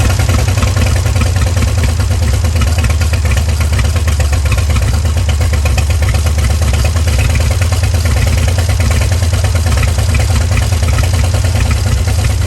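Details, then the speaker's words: 1938 Dodge truck revived after sitting over 50 years: a steady, even low rumble at a settled idle, set slightly high, with no misses, knocks or clatter. The engine runs healthy. "She's idling a little high right now. We'll idle her about right there, maybe."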